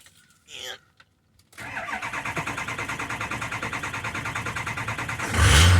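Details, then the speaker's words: 2003 Ford 6.0 diesel cold start after glow plug key cycling, during fuel pressure test; long cranking before firing, slow oil pressure build suspected from high-pressure oil loss, fuel pressure only 40 psi (60 wanted). "Wow, that took even longer to build pressure, which again I would assume to be a high pressure oil loss."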